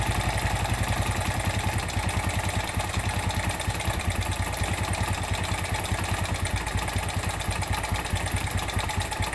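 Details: Suzuki Smash 110 at idle, owner complaint of rough sound and low power: coarse, rattly clatter over the low thrum; worn piston and slack cam chain.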